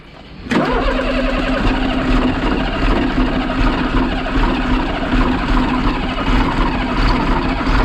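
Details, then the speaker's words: Diesel starting after sitting a day: catches instantly, then idles with an uneven, stumbling beat; a cylinder misfire, suspected but unconfirmed to be from one cylinder not getting enough air. "that's something wow it might be why it's misfiring it might not be getting enough air to one of the cylinders"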